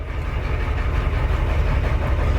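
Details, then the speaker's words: 1990 Ford F Super Duty, naturally aspirated 7.3 IDI diesel, cold start after sitting a week, before injector replacement: deep idle with uneven lumpy beat, truck shaking noticeably; owner believes injectors are leaking diesel; rough idle, misfire. "you can see we're shaking pretty decently"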